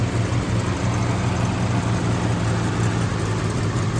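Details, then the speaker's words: 1971 Ford Torino Cobra, 429 Cobra Jet V8, freshly restored with just-rebuilt engine and drivetrain: deep, even V8 idle burble with steady firing pulse, no ticks or knocks; runs like a top. "Runs like a top. Like I said, motor and trains were just rebuilt."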